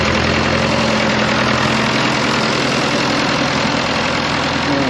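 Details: Fordson Power Major diesel crane, first run after sump reinstallation, fresh oil and topped-up water, hard start: steady even diesel clatter at idle, no misses heard though it pops now and then; about 20 minutes total run time since acquired; ticking over fine.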